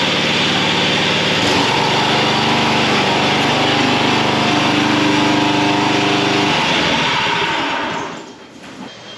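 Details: John Deere 14SB mower: engine running with blade disengaged gives a harsh whirring note until shutdown; worn blade brake clutch (BBC) bearing, replaced with a 6205 bearing.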